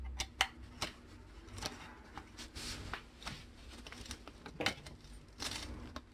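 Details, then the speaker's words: Bicycle saddle rail clamp, source of irregular ticking when pedaling seated: gritty crunches and sharp clicks as the tightly clamped rails shift; sand and grit packed in the clamp from long use. "지금 돌아갈 때 약간 썩으락 소리 나죠? 썩그럭거리는 소리 나죠? 지금 나는 소리야. 썩그럭 소리가 나요. 흙이 들어갔다는 얘기겠죠?"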